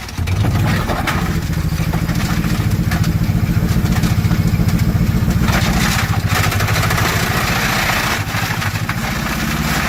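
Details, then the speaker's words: Twin-supercharged Grand Marquis with homemade dual blowers, with a hole in the side of the block: rough loud idle, fast uneven pulsing and clattery mechanical noise; abnormal engine noise, internal damage. "runs good not real sure what all that noise is but I it'll be fine"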